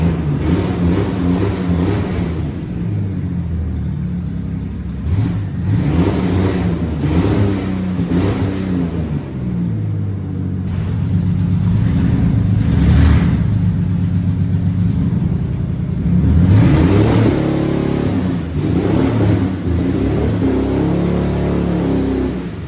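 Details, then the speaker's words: Chassis-swapped 1965 Mustang with twin turbos, deep petrol engine revving repeatedly on the ground, with a rough, puffing edge on the exhaust note from an exhaust leak. "you can hear that exhaust leak like a [ __ ] when it's on the ground"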